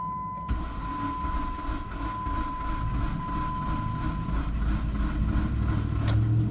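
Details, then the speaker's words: 2005 Dodge Neon, previously parked, with a crankshaft sensor fault code and the camshaft sensor already replaced, cranks steadily at about three turns a second with no firing or catch; turns over all day but won't start. "And that's our issue. It will not start. It will turn over all day, will not start."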